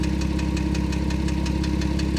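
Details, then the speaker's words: Porsche with 96,000 miles idling with fast, even light tapping about six taps a second over the low hum; valvetrain-type tick, smokes a little at startup. "we're gonna come back over to this Porsche because I can hear that tapping really good now now you guys can hear it better hear that"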